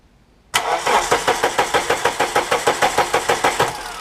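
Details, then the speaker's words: Eclipse 420A engine on new Megasquirt ECU, starter jumped: turns over evenly at about three compressions a second but never fires; ECU loses power while cranking, later fixed by rewiring; crank no start from ECU power loss while cranking. "I go back in there the ECU will be powered off yep offline so I'm trying to figure that out"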